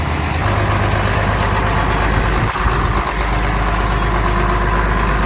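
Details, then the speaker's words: Farm tractor with dash being redone, run after work: steady, even low rumble at idle with no knocks or misses; cleared up well, still a little smoke while warm; sounds healthy. "Sounds good. We cleared up pretty good. Still got a little bit of smoke, but it's still warm enough."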